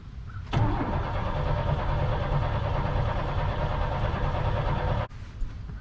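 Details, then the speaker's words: Crank-no-start on a Chevy Blazer: about 4.5 s of steady starter cranking with no firing. It had no spark for a month; a swapped coil didn't help, a new ignition module gave spark and it fired yesterday. Historically it starts only when really warm out; today isn't warm. Cause unconfirmed. "Okay, nothing yet again. So I know before, when it would start and stop, all these kind of issues, it would only start when it's really warm out."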